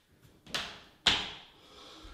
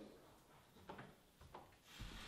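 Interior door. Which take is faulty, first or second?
second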